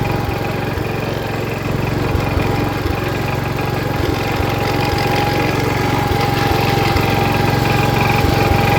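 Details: 1977 Wheel Horse B-100 single-cylinder tractor in high range first gear, charging the battery: steady even thump with no knocks or misses. Normal running despite a questionable carburetor.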